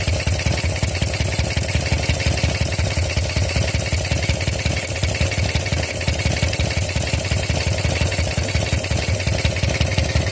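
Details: Harley-Davidson Shovelhead V-twin at idle: a lumpy beat with a steady faint hiss over it, found to be a leaking pushrod tube base seal.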